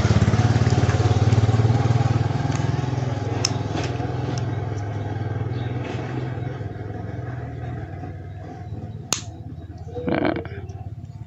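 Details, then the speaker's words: Yamaha Mio 125 FI scooter idling after repair of hesitation, bucking and power loss after full throttle at low revs (weak fuel pump suspected): steady low putter easing quieter with a few sharp clicks; normal idle after reassembly. "Semuanya kembali normal, teman-teman. Sepeda ini sudah kembali normal, teman-teman."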